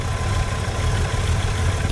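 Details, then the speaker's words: 1966 Chevy Nova with 1967 inline six, after distributor replacement and timing check, vacuum advance still disconnected: steady, even idle with low regular firing pulse, no misses or clatter; runs cleanly. "Yeah, it looks pretty good down here where it is firing."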